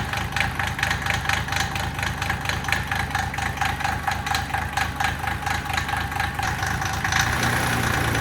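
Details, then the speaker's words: Mitsubishi L3E 3-cylinder diesel (log splitter power plant) after rebuild for zero compression in middle cylinder: even, steady clatter running smoothly on all three cylinders, much less smoke. "it's definitely running on all 3 cylinders now. Yeah, for sure. It's running a lot smoother. It's not smoking nearly as bad."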